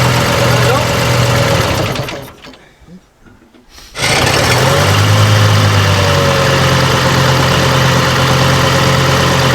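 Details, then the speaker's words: AVGP Husky armoured vehicle, sat outside 10-15 years, first start attempt: regular cranking of about three strokes a second with no firing; electric fuel pump gets no power, so no fuel reaches the engine. "right now we've discovered there's no power getting to the fuel pump electric fuel pump down below inside so it's not pushing the fuel up to the engine itself"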